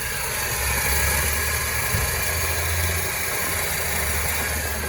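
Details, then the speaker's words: Peugeot 308 at idle: low droning hum with a constant hissy rattle; the AC compressor is noisy and judged to need replacement; AC compressor noise. "kalau dihitung hidupku hilang udahlah kompresor juga bunyi"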